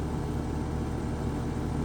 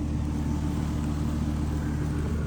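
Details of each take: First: Home AC condenser (upstairs/downstairs units), thermostat powered: steady low hum with no spin-up, compressor tries to start but doesn't; faulted run capacitor diagnosed. Bad run capacitor. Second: Home AC condenser restarted after run capacitor work (30/5 replacement planned): steady low hum, even compressor and fan drone, no clicking or buzzing, blowing hot air. Normal running after repair.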